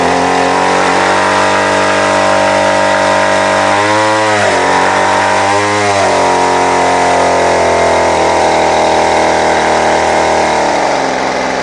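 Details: Two-stroke line trimmer that is hard to start and stalls: raspy idle that sags twice, stumbling as if about to die. The lean, unstable idle is suspected to come from a split paper gasket sucking in air, since spraying it makes the engine die down. Not confirmed.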